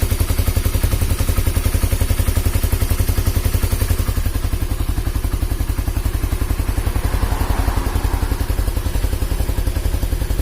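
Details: Honda CB150R after engine teardown repairing a head compression leak that spewed radiator coolant: small single runs with a quick even firing beat near 220 per minute, no knocks or rattles; smooth healthy idle and revving.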